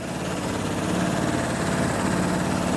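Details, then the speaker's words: 2006 Vespa LX carbureted scooter just restarted after idle jet cleaning or replacement, not yet warmed up: steady, low, even putter at idle with no misses or knocks; normal idle. "and we're going to let it warm up and then it should be running pretty good"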